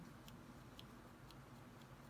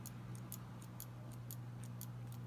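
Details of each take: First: Known-good TRS-80 Model I keyboard switch held to the microphone: five clean, soft key clicks about twice a second, with no metallic rasp like the bad, sticking-plunger switches. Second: TRS-80 Model I keyboard key switch judged bad: quick metallic clicks, about four a second, with scratchy rasping from a sticking, binding plunger, held up to the microphone.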